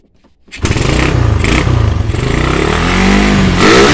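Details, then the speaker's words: Suzuki Satria FU motorcycle that would not rev, after the imitation regulator/rectifier was replaced with an original one: engine catches, runs steadily and revs up cleanly without stumbling; normal. "Ya normal ma bos"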